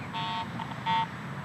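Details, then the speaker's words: Garrett AT Pro metal detector over mineralized soil, nickel buried eight inches deep for a year: three short, uneven chirps near one pitch each sweep, only ground chatter with no clean target tone; improper ground balance masking target. "i'm not consistently or even at all picking up a good target signal i'm just getting ground response because i'm improperly ground balanced"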